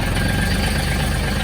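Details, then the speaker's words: Mahindra Max 26 tractor diesel with 363 hours, started after sitting, throttle down, after a standard 10-second glow plug wait. It fires right away into a steady, even low clatter with no stumble. A normal diesel idle after start, crank-no-start problem fixed. "There you go. Fired up right away. Light went out. We're good to go."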